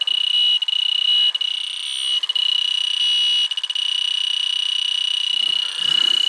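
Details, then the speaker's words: Newer York AC system, leak detector held at the indoor coil: fast, steady high-pitched beeping; a bad refrigerant leak in the coil, worse than the hits found on the condensing unit, coil to be replaced. "yeah this sense is the refrigerant leak you know"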